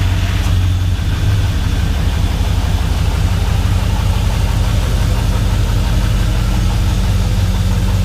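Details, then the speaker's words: Chevrolet Silverado V8 first start after new intake and MAF sensor wiring, not run for about a month; deep even idle, steady rumble, no dips or stumbles. Previously wanted to stall without the MAF; now road ready. "everything sounds good we give it a quick little read here I'm super excited guys this thing is road ready"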